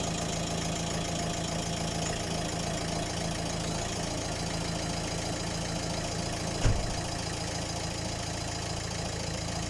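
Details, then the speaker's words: Volvo diesel after replacing all four injectors with used ones because of loud clatter: steady, even idle with only light regular clatter and no misfire, much clearer than before, confirming the injectors were at fault; normal diesel idle. "c'est beaucoup mieux à plus clairement là donc c'était bien aux injecteurs"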